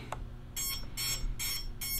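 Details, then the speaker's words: Jumper T16 Pro transmitter with multi-module during FrSky-style receiver frequency tuning: evenly spaced high failsafe beeps, receiver lost signal at the high end of fine-tune range (lost at -63 and 66 on full power). "so it's basically a fail thing right yeah I'm in failsafe on the high and I'm gonna go back down"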